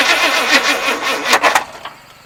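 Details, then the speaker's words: 1974 Chevrolet Custom Deluxe 3/4-ton pickup, sat for years, new ignition except coil, fouled plugs, carburetor primed; owner doubts the timing, possibly turned too far: uneven chugging cranking bursts that never catch, then fade; no start, cause unknown. "That didn't sound good."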